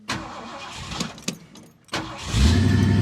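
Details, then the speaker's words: 1969 Ford Mustang Mach 1 V8 daily driver with choke, cold start after sitting overnight: a few cranking turns after a pedal pump, then catches and settles into a strong, even fast idle on choke; healthy, with good oil pressure. "there it goes and it has a fast idle because it does have a choke but you can hear it"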